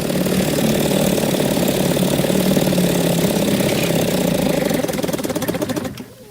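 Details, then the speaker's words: 1957 Evinrude 7.5 hp outboard: a buzzy two-stroke idle pulses unevenly, surging for several seconds before dying. It stalls unless the high-speed needle is richened, then bogs; the owner suspects an air bubble, possibly from a bigger fuel pump. "once you once you're rich in the needle up to get it to not stall then it's kind of bogging down so when you tighten it up you'll hear the idle come on so it's almost like season against all attrition at it's almost like it's sucking fuel so much and it gives them like an air bubble"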